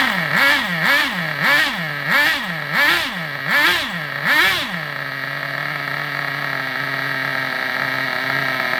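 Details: Vintage Traxxas nitro RC buggy: high-pitched revs up and down in regular blips, then settles to a steady even buzz until it runs out of fuel; normal running.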